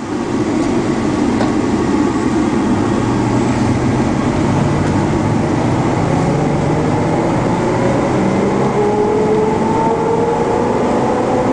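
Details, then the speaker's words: 2001 Chevrolet box truck at highway speed: a steady howl from the rear rises in pitch with road speed over tire and road noise; the whine goes away in neutral; rear differential howl, otherwise drives tight. "we'll take it up the highway speed here there you go can hear the howling in the rear but uh other than that she's tight on the road"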